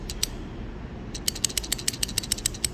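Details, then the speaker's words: Relay from a flooded Hyundai Ioniq hybrid high-voltage battery, carbon marks inside, tested with low voltage: a dozen crisp sharp clicks over a quiet hum; the relay still switches properly. "sure you can hear the noise right that means it's working which is good"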